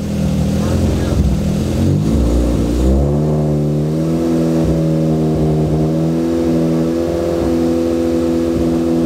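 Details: Freshly built Focus ST engine after a swap, first run during break-in, held near 2,500 rpm so the rings seat: blips up and settles into a clean, even, smooth note with no knocks or rattles; healthy.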